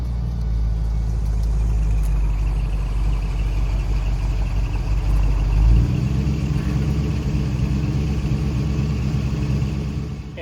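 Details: Restored 1970 Dodge Challenger R/T convertible V8 with 64 miles showing, good temperature and oil pressure: deep, even rumble building under throttle with a smooth gear change and no misses or knocks; normal acceleration.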